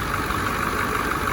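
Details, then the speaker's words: 1986 Ford F350 dually, 7.3 IDI diesel core engine with ATS turbo kit, run in neutral, alternator belt a little loose. Steady even idle clatter with no misses or surging; healthy and settled. "Yeah, she's a freaking runner. Man, that thing runs smooth."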